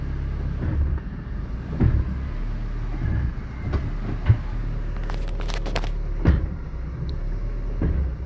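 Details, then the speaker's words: 2000 Ford Ka Zetec engine at idle, no throttle, noise when engaging reverse; a few dull heavy clunks seconds apart as gear goes in; mechanic almost certain a worn gearbox mount lets the drivetrain shift. "Um amigo trouxe o carro dele aqui, falou que o carro tá com barulho quando engata ré. Tenho quase certeza que seja calço da caixa."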